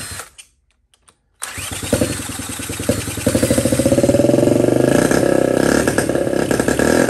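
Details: 1979 Honda Z50 with a loose, temporarily fitted SL70-style low exhaust: a few cranking attempts, then the small single fires and settles into a quick, even putter, picking up cleanly on throttle; running normally.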